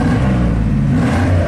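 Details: 1987 GMC 1500 plow truck that had warm-under-load misfire and stalling, revved after the ignition problem was fixed and proven with a scope: deep steady roar, smooth even revving, no stumble or popping. Normal revving.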